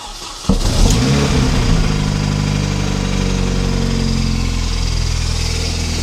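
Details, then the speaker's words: Mini Cooper S R53 supercharged, first start after bearing failure repair and cleaning fragments from oil pickup, fresh oil, alternator faulty: engine cranks, catches, settles to rough fast idle with steady rubbing drone; belt tensioner rubbing on crank pulley. "The noise you had then was simply the belt tensioner rubbing on the crank pulley."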